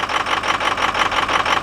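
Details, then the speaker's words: Ford Excursion after sensor replacement, started after trying: idles with a steady, slightly uneven pulsing beat, about eight pulses a second, no clear misfire; engine then dies as before. "you can hear it it's not it doesn't sound like it's misfiring let's see if it'll actually run"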